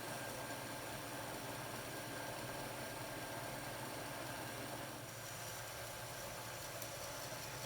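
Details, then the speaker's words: Second-hand Bachmann Blue Peter model locomotive motor, previously squealing from dry bearings, now runs with a soft, even hum and no squeal after a drop of oil on front and rear shaft bearings. "that oil will just run down the shaft in into the bearing there we go quiet as a"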